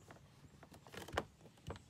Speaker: this one's still intact but you can feel you can hear the plastic creaking